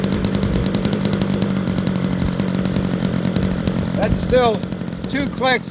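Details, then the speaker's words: Super Tigre 90 model aircraft engine after priming and start-up, needle set richer than stored, temperature unknown: steady drone then blips up and falls back, soft and burbly; rich mixture. "richer than where it was set when i put it away [Music] but i also don't remember what temperature i was running it at so see what it sounds like when i rev it up should clean up pretty decently"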